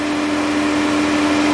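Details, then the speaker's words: Engine off about 30 minutes: steady single-pitch whirring hum as the radiator cooling fan keeps running; suspected shorted fan control module, not yet confirmed; cooling fan runs constantly with engine off. "right there as you guys can hear the fan is on and this engine has been sitting here for about 30 minutes now and the engine is i mean and the fan is still being energized so something is wrong"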